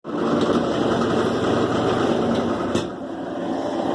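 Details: Kenmore 70 Series direct-drive washer (2005) after the noisy water pump was repositioned and the motor shaft–pump coupling loosened: steady even motor hum with no knocking, grinding or squealing, running normally.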